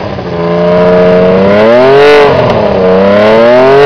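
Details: CBX 1000 six-cylinder with aftermarket air filters and a loud exhaust, run after standing for a couple of years and still needing a service: smooth, clean revs climbing and falling evenly through the range; runs okay.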